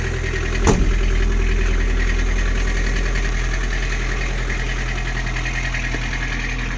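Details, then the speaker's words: Toyota pickup at idle while warming up, after the exhaust was reworked with a Civic muffler: steady, even idle with a smooth low rumble, no ticking, popping or exhaust-leak puffs; healthy and settled. "are we leaking no that's not diesel exhaust it's just warming up it's good sounds good it's running good"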